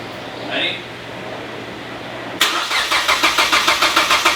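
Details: Mazda Miata with swapped 2.5 engine, first start attempt after filling fluids: starter spins it in even pulses about 3.5 per second but it never catches; owner says timing and connections are right, suspects very low battery.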